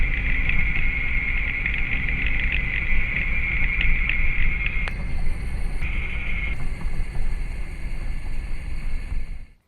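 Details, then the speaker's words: Lincoln Aviator driving, microphone on the left rear wheel; low rumbling growl swelling when throttle is applied, right side quieter; left rear wheel bearing growl, left front also suspected. "so according to our very expert, very amateur diagnosis, it sounds like I need a wheel bearing on the left side front and the left side rear."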